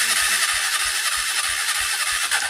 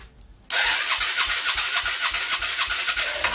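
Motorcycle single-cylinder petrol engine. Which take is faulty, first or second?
second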